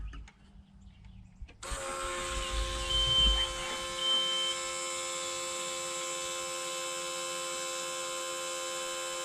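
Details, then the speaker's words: John Deere 650K dozer with low fuel pressure code, about 4 psi at idle dropping to zero when ramping up off decel; steady high electric whine with faint buzz from the transfer pump, suspected cause: fuel transfer pump whine. "let's listen to that pump see how it sounds cause that little transfer pump right there may just be the problem"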